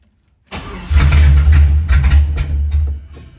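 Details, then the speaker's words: Blown-up junkyard 2008 Tahoe 5.3 LS V8 swapped into a 1969 GTO, started to check oil pressure: catches after short crank, then runs lumpy, surging and sagging; owner suspects low compression, needs pumping the throttle; it did build oil pressure. "oh you know it's bad oh no you know it's low on compression when you got to Pump It Like It's carb she's not happy brother she's not happy she's not happy"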